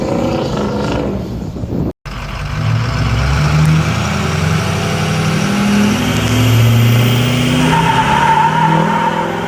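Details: 6.0 diesel with long-running misfire before rebuild; idles then revs with a lumpy, uneven beat rather than smooth climb, a persistent engine misfire.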